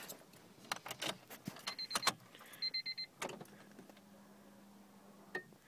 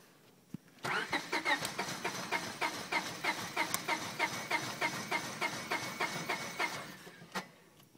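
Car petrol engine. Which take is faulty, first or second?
second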